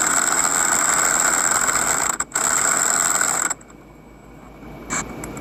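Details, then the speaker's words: Budget 1200 W impact wrench (rated 700 N·m) pressing on a wheel hub bearing: high buzzing hammer rattle for about three and a half seconds, sounding like it's struggling and may break; labouring under heavy load, suspected. "That sounded like struggling to me and it sound like it was about to break. I was worried it was going to break it. I don't know if my impact wrench is supposed to sound like this"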